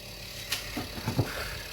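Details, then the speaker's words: Fridge-freezer fan with a low steady hum broken by sharp irregular ticks and knocks as the blades strike built-up ice; the fix is removing the ice. "lo que pasa es que deja de funcionar o hace este ruido porque está tocando las hélices con el hielo"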